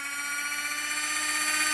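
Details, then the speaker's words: LGB small locomotive Bühler 7-pole motor and reassembled gearbox on bench supply at 24 volts maximum, about half an amp: high steady whine with thin buzzing edge, no grinding or knocks; normal gear whine at full speed. "and this is 24 volts. As you can see, it makes a lot of noise."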